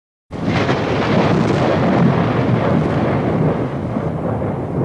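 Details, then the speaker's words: IFB front-load washing machine drum at full speed during service: steady, even rumbling whoosh with no knocking or banging; before repair it was very loud at full speed. "अब इसको हम कहीं पर भी इसको use कर सकते हैं तो हमारा लैपिंग नहीं करेगा यहां पर देख सकते हैं हमारा मशीन जो है फुल स्पीड में घूम रही है"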